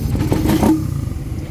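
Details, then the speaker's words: Motorcycle that would not start, now fixed after troubleshooting electrical, fuel and compression; the cause was corrosion. Engine picks up cleanly on a short throttle blip and settles back without stumbling; runs fine. "Ayan all good na. Kita niyo yan yung mga pinaginalaan nating isa-isa."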